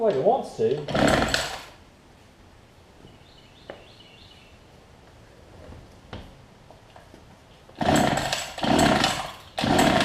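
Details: Older Homelite two-stroke hedge trimmer after new fuel lines, primer bulb and carb tuning, running about 40:1 fuel mix: buzzes up cleanly in short throttle bursts and drops back between them, revving freely without stumbling; normal running.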